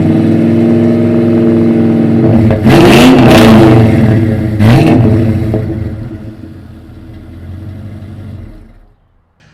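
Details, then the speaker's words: Truck after exhaust repair with a new muffler replacing a blown-out one, rotted pipe patched and a bracket rewelded: engine fires and blips a few quick revs, then settles; smooth, even exhaust, no rasp or leak; quieter and free flowing. "okay so you could hear the exhaust sounds a lot better um it's definitely quieter until you get into it and uh it's pretty free flowing"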